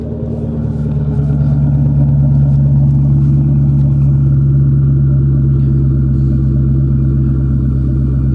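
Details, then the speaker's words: 1997 Mustang GT V8 with new SLP Loudmouth exhaust and BBK X-pipe, no check engine lights: deep, steady burble at idle, even and smooth with no misses. "It just sounds right, guys. Sounds right. the way I wanted it to."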